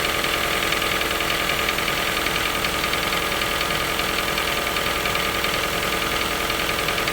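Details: Toyota 1NZ-FE at cold idle: steady light knock about 3–4 per second. The knock appears every cold morning, fades after a few minutes and may rattle slightly when very hot after 2–3 hours of city driving. Cause unknown.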